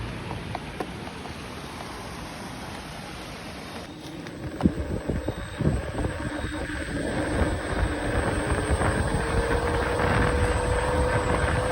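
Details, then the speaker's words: Begode T3 electric unicycle while riding: a thin, constant high-pitched whine above wind rush, rising with speed; motor whine present all the time, like older King Song wheels. "and one more thing that is pretty annoying is that now the wheel also makes this sound that the old king songs were doing there is like this high-pitched wine all the time when you're"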